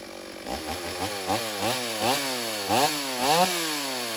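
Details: Stihl AV 028 Woodboss Super chainsaw after a new fuel line and filter fixed lean bogging, old air filter left off, making quick cuts in wood: revs up cleanly and pulls through each cut without bogging; running right.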